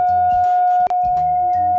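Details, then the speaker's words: Repaired Scuola Radio Elettra SRE 412 modulated oscillator set to BF (fixed, non-adjustable low frequency) through a Class A laboratory amplifier: clean steady single pitch without waver or hum, one brief dropout; output healthy. "the frequency is fixed It cannot be adjusted there is the output"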